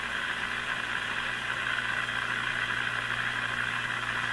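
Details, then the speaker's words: Brand and Millen DR-102U tube AM radio, capacitors replaced, tuned to 780 with signal generator removed: constant hiss and faint steady buzz, no program; mystery signal is household electronics noise, confirming the owner's theory. "There's just so many uh noise signals kicking around my house and I suppose most houses these days that this is the kind of thing you're up against when you're fiddling around with a uh u"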